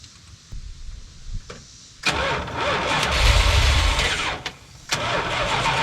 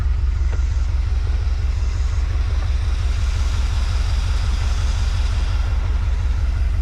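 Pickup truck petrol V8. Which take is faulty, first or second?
first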